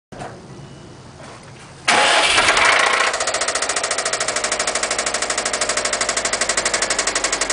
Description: This is what a spun bearing sounds like on an 02 subaru impreza wrx